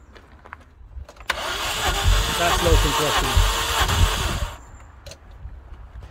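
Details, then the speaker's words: Rover bought as a non-runner with missing catalytic converter, needing recommissioning: starter cranks about three beats a second, evenly and freely, but nothing catches; sounds like low compression, suspected not confirmed; timing check planned. "i'm sure you'll agree that sounds like low compression"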